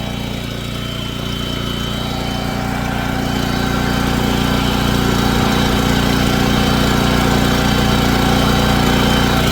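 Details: Lincoln Bulldog 5500 welder's small single-cylinder engine test run during carburetor cleaning and new power switch install: starts and holds a steady, even buzzing run with no misses or knocks; sounds healthy.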